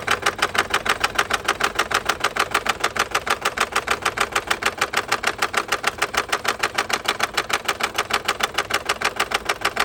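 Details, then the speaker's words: 2021 MG HS 1.5 with check light on: sharp, even ticking about three per second over a quiet idle, loud in the upper valvetrain. Codes for intake camshaft sensor and cylinder 3 misfire; broken intake camshaft found. "Engine का बहुत ज्यादा show हो रहा है और इसका check light भी on है मीटर में और जो एरर है वह आपके सामने है।"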